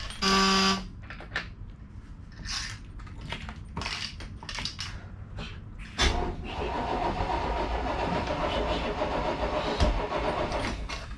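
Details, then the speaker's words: Crusader 454 XL marine engine on a boat that sat a long time and got water in the fuel. Starter cranks with even compression beats and it almost fires but won't start. Gasoline is pooling in the throttle body. "Right key. That one sounded like compression. Oh, it almost fired. That's just not going to do it, huh?"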